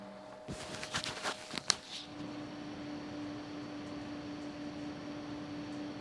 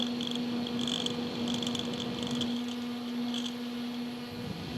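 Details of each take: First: Replacement fans for a Red Bull mini fridge (inside 8038, outside 1238), tested out of the unit: after handling knocks, soft steady hum with faint airy hiss, quiet compared with the noisy original fan. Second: Small mini-fridge cooling fan running on its side with a steady hum and irregular high chirping buzz; noisy when on its side, less so upright; replacement fans were quiet.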